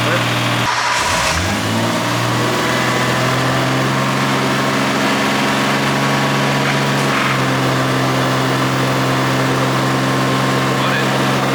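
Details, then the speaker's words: Nissan RB25 engine, first start after installing aftermarket cam and crank trigger kit and correcting a reversed harness plug: catches, then holds a steady idle well above normal; idle screw turned in too far. "It is idling crazy high. Oh yeah, that's screwed in pretty far. Yeah. All right, so the idle screw's screwed in pretty damn far, so let's screw that out and hope that's the high idle."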